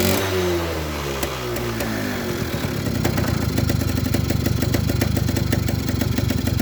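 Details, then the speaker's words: Suzuki RC100 two-stroke after cleaning the carburettor pilot and main jets; revs fall away into a ragged, uneven popping idle near three a second, won't rev high, feels fuel-thirsty; possibly too rich, stutter at high throttle, cause unconfirmed. "Tetapi di sini gasnya ndak bisa meraung tinggi karena sepeda motor ini terasa terboros, terasa boros ya teman-teman, boros BBM yang saya maksud, karena gas-gasannya ini berat."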